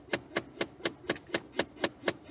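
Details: Ford F-150 with sharp steady clicking about four per second behind the dash that never stops; A/C blows only through defrost vents; owner suspects blend door actuator, unconfirmed.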